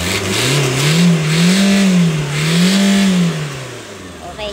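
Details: 2012 Toyota Fortuner with a turbo timer, fixed after it suddenly stalled on the road and would crank but not start (key–ECM immobilizer communication fault), revved after restart: two smooth, clean blips, no misfire or knock; healthy.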